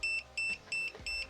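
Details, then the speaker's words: Green laser level self-leveling: rapid high-pitched beeps, about three a second, repeating steadily until the unit is level. "it's because it's self-leveling it will tell you and keep until it's level"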